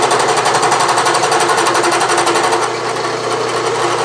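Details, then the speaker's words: Bridgeport mill cutting a spur gear in soft aluminum by direct indexing; a steady cut with a regular clunk about four times a second because the brand-new cutter arbor runs badly out of true. "And that Arbor does not run very true at all. Considering it's a brand new Arbor, you can hear it clunking."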